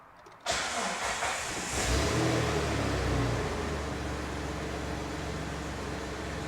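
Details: 2000 Jeep Wrangler TJ at 183,830 miles, pulled out after two years of storage: engine cranks briefly, catches at once and settles into a steady, even idle with no knocks or misses; oil pressure good, charging; normal start and idle.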